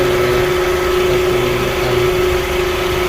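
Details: 2004/2005 Toyota Camry after no-crank, no-start testing and repair: engine settles into a steady, even idle with a constant hum and no misses or knocks; normal idle.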